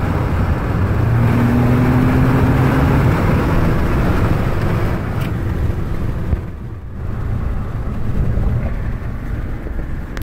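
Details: Ford EcoBoost at full-throttle acceleration: a hard roar with a rapid, uneven fluttering puff, like a leaking exhaust joint. The dealer couldn't identify the cause, so it remains suspected and unconfirmed.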